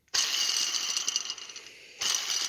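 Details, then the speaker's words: Old Husqvarna mower idler pulley, removed and hand-spun: harsh, high-pitched gritty hiss that dies away as it slows; worn, noisy idler pulley bearing, replaced with new pulleys and drive belt. "Pretty noisy, if you ask me."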